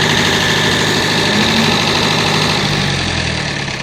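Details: David Brown diesel tractor, which had been hard to start (a flat battery was questioned, throttle linkage checked): steady, even diesel idle with a regular low beat and no misses or knocks; running normally.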